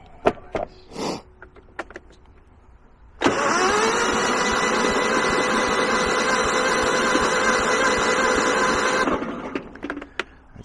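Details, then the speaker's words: Kohler 15 hp engine on a Husqvarna lawn tractor, jump-started with starting fluid, fuel pump likely dry: sluggish starter churning about six seconds at a slow, even beat, never catches; not cranking fast enough, no fire. "isn't cranking fast enough there's no fire no fire there"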